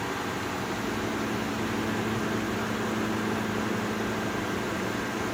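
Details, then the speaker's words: GE Profile window air conditioner, curb find, after restoring power, on cool set to 61 on high: only steady even fan rush, no compressor hum or click-on; fans run but compressor not starting. "It's on 61. No compressor though. But the fans are running. And this one's running."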